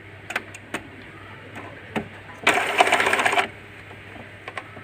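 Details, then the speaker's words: Epson L120 repaired from alternating blinking lights and a stuck carriage: a crisp one-second whir of the carriage sweeping across with light clicks either side, smooth and even. The print head moves normally. "Udah itu sudah gerak. Ini artinya printer bisa digunakan."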